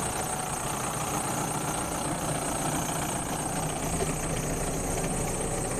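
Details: Bomag BW211D roller diesel engine running at low idle, oil pressure measured at 5 kg: steady, even clatter with no misses or knocks; engine healthy, low-oil-pressure warning traced to a faulty pressure switch.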